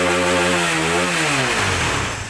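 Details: Honda CBR motorcycle engine after head/top-end repair for knocking in the head and smoky exhaust: clean, even rev falling away smoothly with no knock or rattle; engine now smooth and exhaust no longer smoking.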